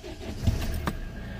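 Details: Great Wall diesel after draining water from fuel filter and priming with bulb: starter whirs briefly, catches cleanly, steady low idle, no stumble, water-in-fuel light goes out; normal start and idle.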